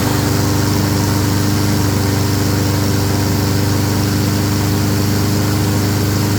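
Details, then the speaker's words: Honda self-propelled mower after carburetor cleaning: steady even engine note at constant speed, no hunting or misfire; smoky, possibly overfilled oil or oil in muffler from tipping. Normal running. "She a smoky girl, but she runs."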